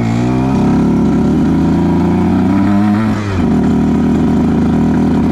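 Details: 2010 Aprilia RS 125 two-stroke with a VHSB34LD 34mm carb (162 main, K57 needle top clip, B36 pilot, air screw 2.5 out): revving up, the pitch wavers and stumbles around 6,000–7,000 RPM before clearing. This is a rich midrange stutter from the stock needle, to be fixed with a K21 needle.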